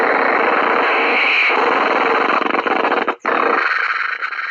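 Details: ETI-131 bench power supply set to 6 V feeding a radio: harsh hiss and rapid buzzing hash over the audio, stopping when disconnected; RF noise on supply output.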